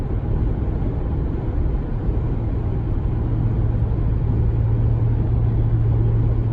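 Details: 2019 Ram 1500 cruising in 8th gear: steady deep low cabin drone with faint hum, not road-related, regardless of MDS; persists after dealer replaced sound amplifier; cause unknown.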